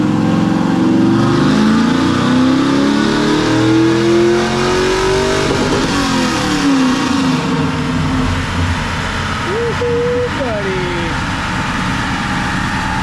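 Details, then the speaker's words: Junkyard 6.0 V8 (swapped in for a burned-up 5.3, bearings checked) on a dyno pull after a tune-in: clean smooth climb at full load to the rev limiter, no knocks or rattles; motor running strong, healthy. "but it tapped rev limiter so sounding good man not making any noises motor's running"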